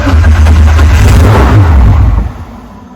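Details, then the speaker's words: MK4 VW R32 twin turbo first start on new equipment: catches with heavy low rumble about two seconds then dies, running very badly; suspected air leak or too much fuel to injectors. "go right okay starting and then [Music] dying there we go there we [Music] go guys let's turn it off let's turn it off right so we've got it running um obviously it's running really really bad"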